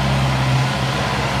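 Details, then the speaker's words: Honda CB650R that would not start, after supplying power directly to the faulty fuel pump: steady even low hum, no misses or knocks; engine starts and idles normally, confirming failed fuel pump. "Bật khóa này nổ máy này đó ta lổ máy bình thường rồi nhá"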